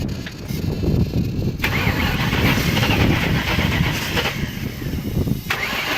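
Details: 2003 Ford Mustang Cobra: the starter spins the engine at a steady rhythm for several seconds, but it never catches or runs. Cranks without starting.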